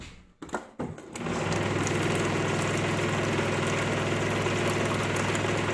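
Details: GE fridge water dispenser with new Coral replacement filter: a couple of clicks, then steady loud buzzing drone with fast even rattle while water runs; owner suspects a filter seat difference causing cavitation, old filters worked.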